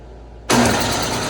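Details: Snowblower: the engine catches instantly and settles into a steady, even run with no sputter or surging; normal running.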